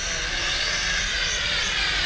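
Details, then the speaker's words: Hongwang HM7016 geared quadcopter with altitude hold in flight: loud steady high buzzing whir, no surging or rattles; really noisy but normal for geared drones with these propellers. "just really noisy but that's not that uncommon on these geared uh drones with those type of uh propellers on it"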